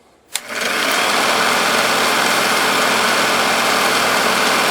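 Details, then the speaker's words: 1946 Victor 40B projector after oiling and freeing the gummed-up mechanism, case open, at sound speed: the motor spins up, then a steady, fast, light rattle of gears and claws settles in. It is not silent because of many gears; normal mechanism clatter. "a lot of gears and moving parts, so it's not going to be silent, that's for sure."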